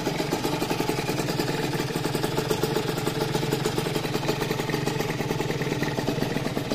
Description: primer arranque rieju RV restaurada